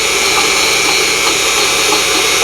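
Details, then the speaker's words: Unimat SL1000 mini lathe with a 10-degree tool turning rebar under the scale; high whirring motor with brief dips roughly every half second as the tool strikes hard inclusions, yet still cutting with good finish. "Every time you hear that little bobble in the motor, it's hitting a piece of junk."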